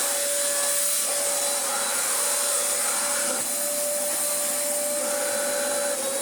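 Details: Dyson vacuum with a dirty filter, plugged in and tested: steady, even motor whine with a constant airy rush, no pitch wobble or scraping; normal running, works very well.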